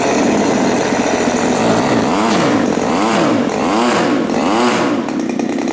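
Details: New Turnigy TP31-T 31cc twin-cylinder gas engine, CD ignition, Walbro carb, 3.7HP, first run, hand-flicked start: crisp even buzz climbing and dropping cleanly through throttle blips without stumbling; running healthy.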